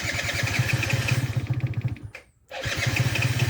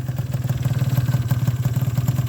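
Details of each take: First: Zuma scooter just after an exhaust leak was fixed: it fires and runs raggedly about two seconds, then dies, stalling three times in ten seconds. The previous owner suspected a bad enricher and said it needs throttle to start until warm; cause unconfirmed. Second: Yamaha Zuma scooter after fixing a bad exhaust leak (one bolt missing, the other loose): even, low putter at about sixteen pulses a second, no puffing or ticking; clean idle. Owner suspected a bad enricher and hard starting until warm.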